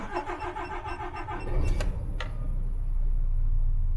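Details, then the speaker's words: DAF CF truck diesel, 21 plate, started after air dryer replacement and fault clearing: starter cranks about a second and a half, then it catches cleanly and runs smooth; engine warning clears, no air leaks. "as you can see our engine warnings now gone out on the dash soon as this comes out of Amber this should disappear and we should have a nice clear dash for at least 5 minutes there we go job done"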